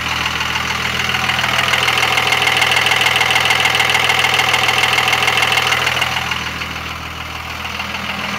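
Rapid regular ticking, about two hundred a minute, with a high whistle rising over the diesel idle; source of the noise unclear.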